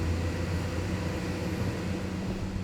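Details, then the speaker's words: Bluetti APEX 300 power station powering sandwich toaster: steady airy fan whir with low hum cooling the inverter, unit not hot to touch; cooling fans working normally. "So you can hear the fans are all running trying to keep the system cool."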